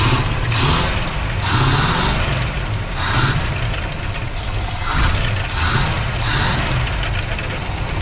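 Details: Van sitting 15 years, first start on starting fluid after new plugs, wires, distributor cap and rotor: uneven lumpy idle with loose slapping beat, heavy smoke; rough running with a loose, shaking fan belt.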